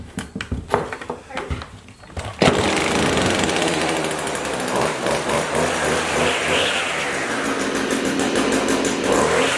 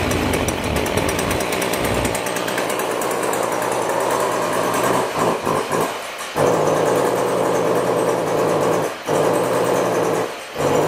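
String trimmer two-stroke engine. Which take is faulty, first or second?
second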